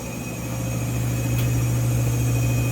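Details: New GE front-load washer, model GFW850SPNRS, in spin cycle: deep steady roar with thin high-pitched whine/squeal; service techs say this is normal for this model.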